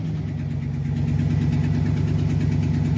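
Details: 2009 Silverado GMT900 truck, failed fuel system control module bypassed with the fuel pump run off a 12 V feed tapped from the radio; steady, even low hum with a smooth regular pulse near three per second and no knocks or misses, healthy idle.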